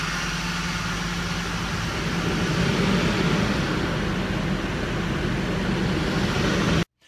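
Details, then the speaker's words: Ford 5.4L Triton four-valve DOHC V8 after repair for noises linked to timing chain guides, tensioners and oil pump: smooth, quiet, even idle on startup with no rattle or chain slap; engine now sounds healthy. "okay there you have it the engine is fixed nice and quiet startup running it's like a brand new engine"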